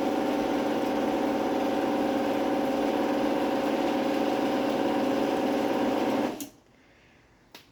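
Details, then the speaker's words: Genie 450 screwdrive garage door opener with board-based relay, no thermal light delay, rubber-isolated mounting: very quiet, even motor hum with light steady ticking from screw drive, clean stop, relay click about a second later; normal operation. "It is actually very quiet. It's got that classic sound to it."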